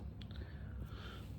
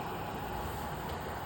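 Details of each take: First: Шума ми майже не чуємо. Ось що таке шум в роботі вентиляційної системи. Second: Komfovent ventilation unit on test at normal operating mode without duct silencers: steady, even rush of airflow noise with no rhythm or tone, from the air flow rather than the unit itself.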